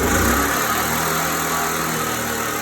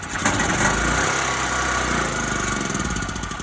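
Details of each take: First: Briggs and Stratton-style generator engine after carburetor refurbishment, started with choke then opened; runs great with steady even drone, no pauses, no vibration, no surging; powering a refrigerator during an outage. Normal running. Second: Small engine with refurbished Briggs and Stratton style carburetor: starts on one pull and runs, then beat turns ragged and fades as it chokes out; cause unclear.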